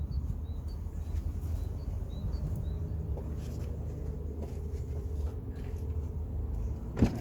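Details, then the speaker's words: Hyundai Terracan 2.5 diesel D4BH idling with a deep rumble, an uneven knock and bluish smoke; loosening the fourth injector drops it to three cylinders and the knock stops, so that injector is faulty. "Вот идёт стук. Дым, дым сизы какой валит."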